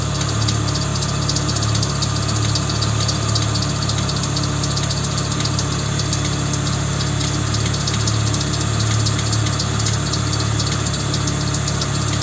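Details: Volvo 850 at idle: low, regular knocking pulse about three or four beats a second over the hum, an engine knock.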